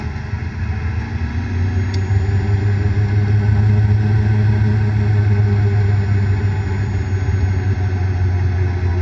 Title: Bad Bearing